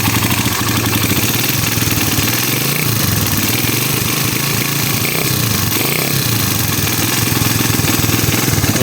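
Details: Raider 150 carbureted single at idle with a busy, tinny top-end clatter; noisy head traced to excessive cam holder clearance, fixed by lapping the cam holder without changing shims.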